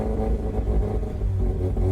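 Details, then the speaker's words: 2004 Mazda RX-8 rotary track car with makeshift intake manifold, exhaust manifold, mid pipe and rear exhaust, not yet warmed up on a ~98° day: low rumbling revs sag unevenly; won't idle, wants to die off throttle. "It will not idle. It wants to die if I let it go slightly. Well, instead of me talking that it's gonna die, just hear how the exhaust sounds."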